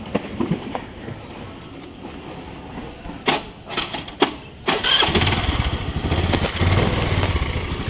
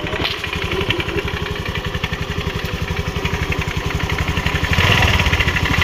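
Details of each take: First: Honda Grazia 125 BS4 scooter started after its worn pulley was replaced to cure an engine noise: a few clicks, then it settles into an even, steady idle with no knocks or rattles; normal idle. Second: Honda Grazia 125 BS4 scooter: a rapid, rough pulsing rattle rides over the idle and grows slightly as revs rise. With the clutch cover off, the clutch bell was found grooved and worn and the clutch pulley damaged.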